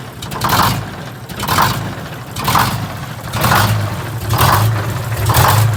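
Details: GM 4104 bus, Detroit Diesel 6-71 running: harsh clattering surge repeating about once a second over diesel rumble; generator removed, drive gear found missing several broken teeth.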